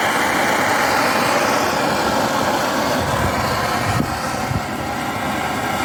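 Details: BRS-8 multifuel stove running on gas outdoors, after a makeshift tin part replaced the missing piece: steady, loud rushing roar with a small dip from a wind gust; flame holds, burner running properly.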